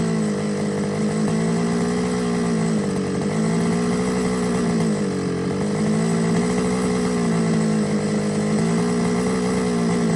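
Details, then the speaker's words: Losi 5iveT RC car engine: fast buzzy idle set too high that keeps climbing then dropping instead of holding steady; hunting idle, owner suspects the carb needs removing and cleaning. "if you listen to it when it was on tick over the tick over was a little bit too hard so turn that down but you could hear it hunting at the was climbing then dropping so I think the carbs going to have to come off"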